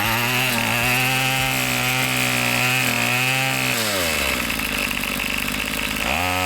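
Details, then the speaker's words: Two-stroke weed eater after a carburetor adjustment: a high, buzzy note revs up, drops and picks up cleanly, holding smooth without stalling or a rough idle. Normal running. "I just weed eated around my whole house. Didn't cut off, didn't have a rough idle. It ran smooth,"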